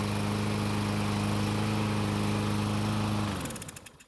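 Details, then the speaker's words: Murray mower with a cold engine that starts only when the carburetor is manually primed; small single-cylinder runs a steady, even idle for a few seconds, then dies away; suspected carburetor fuel problem. "so yet again it started but we had to manually prime it to do it"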